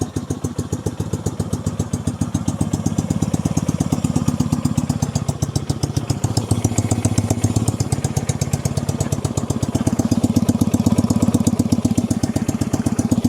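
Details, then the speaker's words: 1965 Honda CB160 161cc parallel-twin, being resurrected: lumpy, loping idle with uneven beat, won't idle right, stalls with gas; one cylinder barely blowing air, low compression, while the other has plenty; misfire from low compression. "cylinder is real weak. Barely blowing any air out of it. This one's got all kinds of compression."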